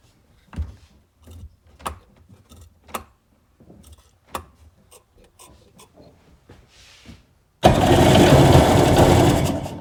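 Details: Sea-Doo engine after carb line repair and clamping, starter turns over in short bursts about three beats a second but never catches, then a loud rush; lots of fuel coming out; cranks but no start.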